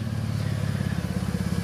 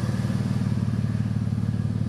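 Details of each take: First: At idle: a deep, loud, throaty rumble pulsing steadily, far louder than stock. The exhaust is loud from a missing or failed muffler and needs a new one. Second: Jeep bought cheap with loud exhaust: steady, even, throaty idle with a loud exhaust and no knocks or misses; engine sounds healthy.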